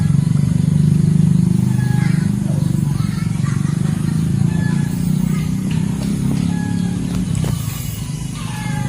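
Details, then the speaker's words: Yamaha Jupiter Z motorcycle, about 2007–2009, before full engine teardown with flooding carburetor: rough, clattery idle with loose knocking; connecting rod later found to have noticeable play by hand, to be replaced; connecting rod knock. "Ternyata untuk bagian stang seher atau stang sokarnya ini juga goyang teman-teman. Ini lumayan sedikit oblak ya."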